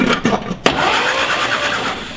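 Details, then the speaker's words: 1952 Willys Wagon barn find engine: short even whirring crank with no catches or binding; engine turns over freely and has good compression. "okay it's got good compression okay yeah I was really worried about the whether it would turn over or not"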